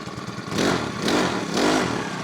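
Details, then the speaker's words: New Makita EBH252U petrol four-stroke brush cutter, warmed up and ready to cut, noticeably quieter than the old Homelite; engine surges up and settles three times in quick blips, smooth and even, no rattle or miss; healthy running. "So I'll fire it up in the garden and see how well it cuts. Certainly a lot quieter than the Homelite."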